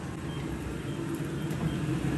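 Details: StairMaster StepMill after replacing the drive chain and worn sprocket that caused step skipping, tested at a couple of speeds: steady, even low drive hum with no skips, clunks or knocks. Chain drive running normally.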